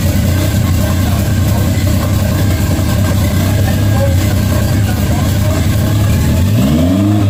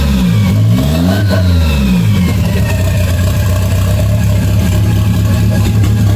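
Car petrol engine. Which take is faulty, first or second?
first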